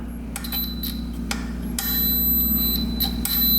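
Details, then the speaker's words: 1960s Ducati Brio 100 scooter, sitting over 30 years, being checked for no spark: short high continuity beeps from a multimeter among tapping and probe handling confirm a good ground from the wire to the engine and frame. "near beep so we have a good ground to the engine"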